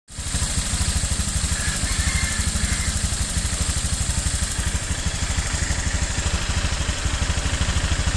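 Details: New Honda Click 150i scooter, 300 km on the odometer, idling with a quick even tick over the steady putter: engine ticking at idle.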